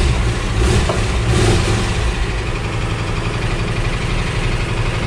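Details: VW T3/T25 bus after fitting a new battery negative earth cable (old one was getting hot, causing slow starting): starts straight away and settles to an even, steady idle with no misses or rattles.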